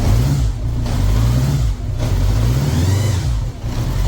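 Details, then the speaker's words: 1983 Honda GL1100 Gold Wing flat-four, revived after 9–10 years in a barn: smooth, even note with a couple of brief throttle dips and no knocks or rattles; motor sounds tight. Normal running. "I mean that motor sounds very good nice and [Music] tight"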